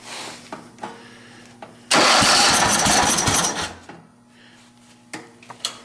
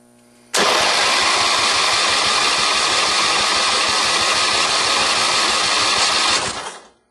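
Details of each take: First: John Deere 111 hydro lawn tractor, fed from an external tank: cranks, fires and roars briefly then sputters with backfire; no-start traced to a failed fuel pump. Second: John Deere 111 hydrostatic lawn tractor during a compression test: the starter spins the engine at a steady, even pace with no dragging strokes; it reads about 90 psi, similar to a rebuilt 11 hp engine, so compression is healthy.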